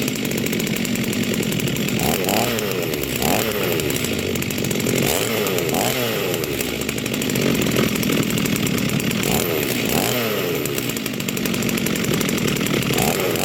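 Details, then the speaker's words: Rebuilt vintage Stihl 036 chainsaw with aftermarket Meteor piston and cylinder, new crank bearings and seals, new muffler and clutch, rebuilt OEM carb; first run after rebuild, strong steady two-stroke buzz with clean rises on throttle blips; healthy. "oh wow that's awesome she runs so yeah we'll just let her let her warm up for a minute call it good for now"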